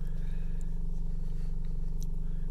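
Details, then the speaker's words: Chevy Cruze with intermittent stalling, restarting after a hot no-start: a steady, even, smooth idle with no misses or dips, running fine for now before stalling again like a key-off; the fault was later traced to a poor ignition coil connection. "oh yeah sitting there now just fired up no problem it's running perfectly"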